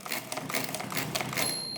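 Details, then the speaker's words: Mid-1920s Marchant XLA lever-set hand-crank mechanical calculator after repair, subtracting repeatedly until the bell: a quick run of crisp mechanical clacks as the crank turns, then a clear bell rings out. It cycles properly and signals overdraft. "anyway I'm going to do one one Dewey so we'll start subtracting until we hit the bell"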